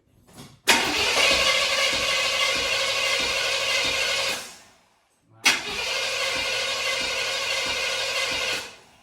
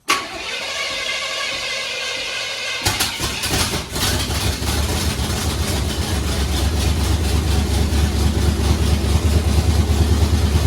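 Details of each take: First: Supercharged carbureted V8 for a Blazer, distributor reinstalled at marked position, throttle worked by hand: two bursts of steady cranking about three turns a second, never catching; fuel visible and accelerator pump seemingly working, seemingly no ignition. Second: Supercharged V8 just swapped into a Blazer, first start after resetting a distributor knocked out of time when the engine was turned while torquing converter bolts: cranks, fires and settles into a loud, fairly even idle; timing may still need adjusting.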